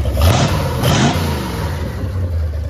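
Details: MerCruiser 7.4 V8 marine engine, starboard side, after removing number one piston and freeing piston rings: two clean throttle blips settling to smooth even idle, no stumble; running a lot better, healthy.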